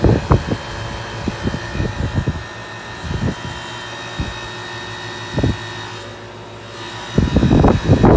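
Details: 2000 Payne Teardrop heat pump: a steady fan hum broken by irregular low knocks and thumps that bunch up near the end; an abnormal noise of unknown cause, and the unit is expected to fail soon.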